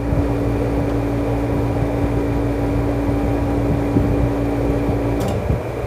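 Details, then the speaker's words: Window air conditioner, thermostat set lower on medium cooling at about 21°: fan rush with steady compressor hum that cuts out cleanly after about five seconds; compressor normally switched off by thermostat. "ये देखिए compressor band हो गया band हो गया"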